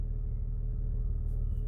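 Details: Jeep Wrangler idling steadily after throttle body cleaning, at a simulated stop sign: low even rumble with no surging or revving, where it previously revved and inched forward every five seconds. Normal idle after repair.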